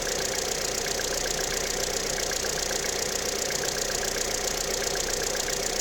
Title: стук на холодную cwva